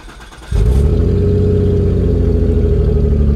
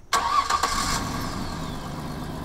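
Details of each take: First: Car with whole exhaust removed before fitting new: engine catches into loud, deep, throbbing unmuffled rumble, V8-like once idle drops; running with open exhaust. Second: Rust-leaking exhaust after repair with couplers and clamps: engine catches quickly and settles into a smooth, even idle with no puffing or ticking at the joint; soapy-water test shows no bubbles, exhaust sealed; normal idle.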